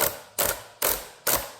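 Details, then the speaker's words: Two-year-old Traxxas Unlimited Desert Racer RC truck on 4S (two 2S LiPos), driveline turned by hand with the driveshaft held, front wheel drive failing to engage: four sharp ratchet clicks about half a second apart; owner suspects the centre diff engagement gear, diff itself feels fine. "So, my guess as to what went wrong is that kind of like the engagement gear right here. Because the actual diff part, like, that feels fine."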